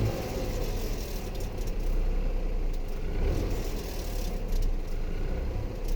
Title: bruit moteur décélération Dacia Eco G 100